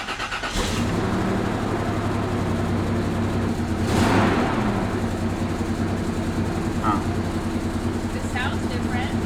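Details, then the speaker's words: 2002 Toyota 4Runner just after a tune-up with new spark plugs, wires, and charcoal canister plus throttle body, MAP sensor, and airbox cleaning: uneven, stumbling, lumpy idle; misfire from a plug wire crossed onto the wrong cylinder. "Sounds terrible. It's done. We had some tech technical difficulties just now when I started the truck. It was idling terribly."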